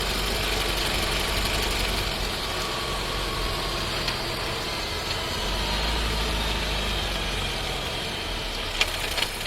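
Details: New Skoda Scala 1.5 TSI with dry-clutch DSG, about 3500 km: engine note falls as the car slows to a stop, broken by a short cluster of sharp clunks from a loud downshift.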